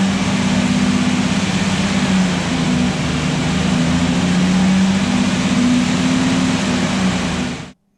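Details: Restored Jurassic Jeep #73 engine during break-in on first run after reassembly; steady fast idle with note drifting as revs rise and ease, then clean shutdown, no knocks: normal.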